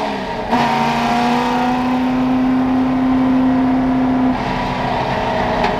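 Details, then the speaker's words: Ford F100 V8 with the rev limiter set at 6500, after a timing adjustment and replacing a clogged fuel filter: smooth, even note climbing steadily in pitch with no misses; healthy crisp revs. "oh it's good oh it's really good listen how crisp those reps are oh my goodness"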